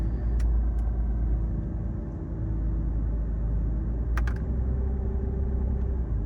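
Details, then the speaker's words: Mercedes S600 V12 at idle: deep, rough low growl resonating through the body, heavier under power steering load; worn engine mounts transmitting vibration into the frame. "The motor mounts are resonating through the frame of the car. See if you can hear that. Can you hear that growling? Listen. Even just when I put more load on the engine through the power steering pump, you can hear it."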